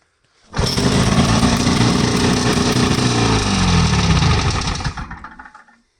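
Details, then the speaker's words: Wheel Horse after a fuel fix: the return-line valve is shut so air can't reach the diaphragm, keeping the intake line full. It starts on the first pull and settles into a steady, even putter with no misses, then shuts down. Normal. "That's awesome. That is exactly what I wanted. This is now a one-pull sled."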